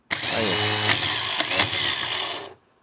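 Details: Starter motor that had stayed engaged and spun with the engine, repaired by replacing the worn Bendix sliding part, free-run tested on the bench: fast steady high drill-like whir, then clean cutoff; normal starter motor free run.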